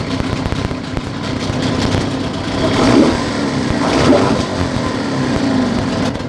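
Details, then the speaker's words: Outboard motor after carburetor idle adjustment: revs rise, fall back unevenly, then stall when the throttle is cut, showing idle mixture still not fully adjusted. "By the way, you can also check if we adjusted it correctly by giving it half the throttle, or even higher, with a shift engaged, and then sharply slow down. If the motor stalls, then it is not fully adjusted."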